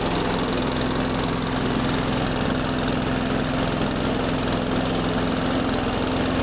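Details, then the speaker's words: Benchmark mower single-cylinder engine after a no-start repair (skunky fuel in the undrained carb): steady, coarse chug at an even idle, no knocks or misses; rough but normal for this engine. "I always get hesitant whenever I start one of those benchmarks because they sound so terrible. I keep thinking something's wrong, but no, it's like Yeah, I know they're garbage. it's the engine trying to run."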